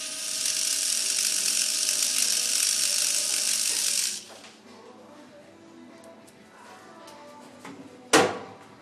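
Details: PicooZ Sidewinder micro RC helicopter, blades held down under throttle: fast high-pitched ratcheting buzz for about four seconds then stops; drive cog slipping up its shaft, fixed by pushing cog back down shaft.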